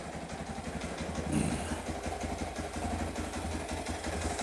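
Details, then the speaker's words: Kawasaki KLT185 three-wheeler pulled from a snowbank, long-sitting, after carburetor cleaning: small single-cylinder putters at a steady idle with an even beat and light clatter, barely drawing fuel; normal idle. "let her sit here and idle for a little bit that's just fantastic you even see my fuel line barely even sucking it down no way"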